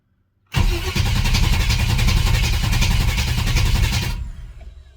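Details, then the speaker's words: Chevy S10 with 355 small-block V8 after head gasket and roller lifter rebuild, fully charged battery: steady fast cranking about three and a half seconds, never fires; crank no start, starting fluid then tried, spark loss suspected. "so apparently something's not working [Music] things first let's try a little starting fluid if it hits on that we know it's fuel"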